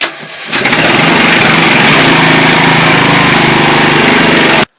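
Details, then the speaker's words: Riding lawn tractor with a bad ground between starter and battery, starter jumpered directly to battery ground, on choke: brief starter whir, then catches at once into a strong, even run; starts normally. "So it starts right up, it works fine after that."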